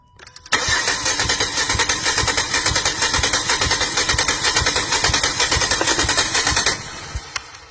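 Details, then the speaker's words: Compression test on a direct-injection engine with a misfire, run on known-good cylinder 2 to verify the tester: even, steady starter cranking at about two pulses a second with no drag; normal cranking. Cylinder 3 is misfiring despite having spark and fuel, suspected carbon buildup over the valves. "So right now what we're doing is testing cylinder 2, a known good cylinder, to make sure that our tester is working."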